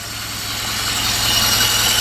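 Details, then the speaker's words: Alfa Romeo with SPICA injection pump, after the pump gap, rod length and timing were adjusted to cure very rich running: an even, steady idle with a smooth low pulse and hiss over the top, no misses or stumbles; it is idling normally. "okay well as you can see now it runs and I'll tell you what it was it's pretty dumb"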